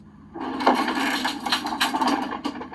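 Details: 2004 Country Coach motorhome HWH slide-out brought in while not level: harsh splintering wood cracking over a low hydraulic drone as the slide grinds into the floor.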